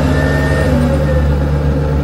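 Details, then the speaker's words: Camper van inverter switched on with no load: steady low hum with a faint cooling-fan whine that eases off; normal inverter cooling fan noise. "インバーターの電源を入れるたびに冷却ファンの音妻はもっと大きなバッテリーを望んでいます。"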